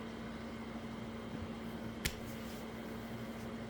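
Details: 2000W 24V DC to 110-120V AC pure sine wave power inverter during an overload protection test with a 700 W heater switched on: steady, even heater fan whir with a constant low hum and one switch click, no rattle or labouring, normal running.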